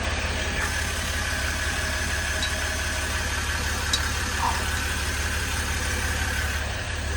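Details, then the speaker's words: 2016 Ram 1500 3.0 EcoDiesel just started after replacing fuel filter housing/water separator for P0183 fuel temperature code, primed first, not leaking; even low diesel rumble at steady idle, no misses or knocks; normal diesel idle. "Okay. Moment of truth. Let's see. Beautiful."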